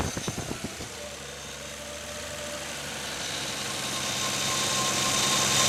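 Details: R33 Skyline GTR RB26 being broken in: hissy metallic rattle from the front end, head or fan suspected; pitch stays steady with rpm while volume rises, only noticeable between 3,000 and 4,000 rpm.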